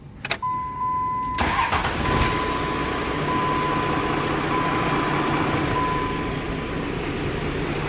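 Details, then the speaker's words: 12-valve Cummins diesel truck with new VGT exhaust brake and added fuel filtration, starting after filter work: after a chime and brief crank it catches straight away and settles into a steady, even diesel idle; starts normally. "all right well it fires up and runs that's all i need to know"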